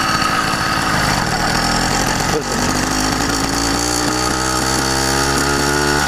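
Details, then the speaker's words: YD100 two-piece-cylinder two-stroke with PWK21 carburetor, riding at quarter throttle: uneven spitting and sputtering (four-stroking) once mistaken for rich but actually a lean mixture. "hear how it's like i gotta slow down because it's like four to three throughout the quarter throttle"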